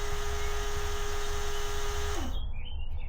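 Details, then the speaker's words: TD5 Land Rover Defender with ignition off; multimeter in series reads 0.33 A while the CD player gives a steady mid-pitched buzz, then winds down to a 0.1 A constant parasitic battery drain. "Now, the immobilizer or the alarm are not not uh armed at the moment, but what was buzzing was my CD player."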